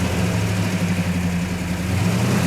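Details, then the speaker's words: 1967 Hemi GTX convertible 4-speed, freshly rebuilt engine, first start outside: deep, steady V8 burble with even firing and no knocks or misses, some rattling from mechanical rockers probably needing adjustment; normal idle. "Not bad. That sounds good."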